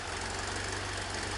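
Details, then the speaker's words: 1973 VW Super Beetle, 1745cc engine with Mofoco 041 heads, hydraulic lifters, Dellorto FRD 34 carbs jetted for 1415cc; idling about 1,400 rpm, too high, fast lumpy idle with left side firing weakly; left carburetor suspected, rough idle. "it's idling at about 1,400 rpm which is just way too stinking high but it's the right hand slide and the fact that it's just thinking Ross at idle because the left-hand side although hitting just isn't hitting right"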